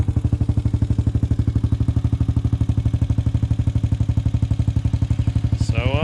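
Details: 2006 Honda TRX250EX after top-end rebuild (new cylinder) and fresh 10W40 oil: even, steady single-cylinder thump about four beats a second, no knock or rattle; clean idle, rebuild a success.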